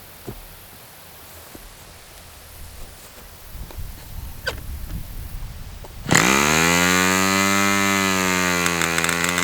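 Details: Fox Twin glow engine after needle reopened, glow igniter left on throughout: twin catches and climbs to a steady, even high-speed howl; peak 10,180 rpm later noted.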